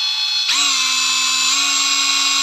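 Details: Used Hilti TE 6-A36 36V brushless cordless rotary hammer, said to run smooth: the motor spins up quickly to a steady high whine and holds an even pitch with no rattle or stutter. Healthy.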